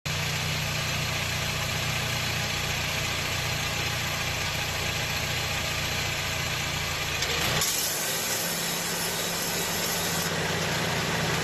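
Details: 2009 Honda Jazz 1.5 GE idling: rough rattling whir on top of the engine from a noisy, failing A/C compressor clutch assembly, before replacement.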